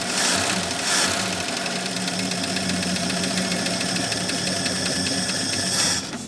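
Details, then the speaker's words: AMC Rebel SST six, first run after sitting 35 years, fan belt thrown; steady but clattery idle with busy rapid ticking, mechanically loud; owner calls it very noisy and thinks it could use a little more timing. "Oh, it revs though. What about that? Oh, what? No. Not again. Just slowly becoming a nightmare. Slowly but surely. There it is. All right. Very noisy."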